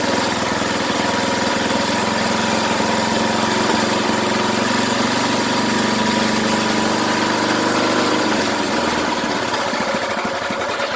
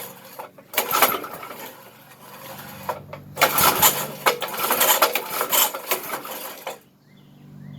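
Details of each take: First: 33-year-old small single-cylinder go-kart engine, first firing after restoration with good spark and compression: catches and settles into a steady, slightly uneven run; smells odd, something burning off the muffler. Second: 33-year-old Briggs engine on a yard kart restoration, chain off, cranking on choke in short uneven bursts without firing; fuel squirts out around the carb throttle shaft, and the owner suspects carb problems flooding the engine.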